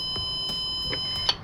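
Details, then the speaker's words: Elite Gourmet electric burner not heating, multimeter continuity test across the thermostat while turning the knob; steady high-pitched beep holds then cuts off as it switches off and on, thermostat contacts closing properly. "shut it off on it's working off on working okay I think we fixed it"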